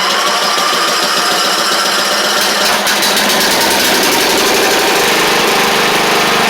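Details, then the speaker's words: Troy-Bilt Pony 42X riding mower, Powermore single-cylinder engine, after carb reinstalled and treated with WD-40 and carb spray: ragged, stumbling run that won't settle to steady idle, apparently shot out junk; leaking carburetor needle and seat. "well it ain't perfect it is running though like I said it looked like it shot a bunch of junk out of it though"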